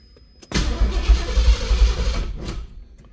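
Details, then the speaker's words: Turbo engine, just rebuilt with new head gaskets and studs, on its first start attempt: slow, labored cranking at about three or four turns a second for two seconds that never catches, because the battery is dead. "And the battery's dead."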